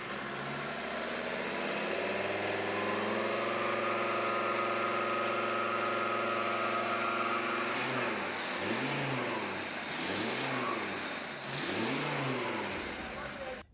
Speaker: Just revving it in the workshop, the turbo whistled massively through the intake, showing something was restricted.